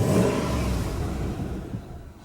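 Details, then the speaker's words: Dodge Durango 4.7 with engine damage after oil starvation; pickup tube sucking up crud was suspected; oil pressure restored. A short rough throttle rev fades and the engine stalls within two seconds; timing also suspected off. "does that died did it [Music] [Music] really but yeah it's got engine damage though you can hear it"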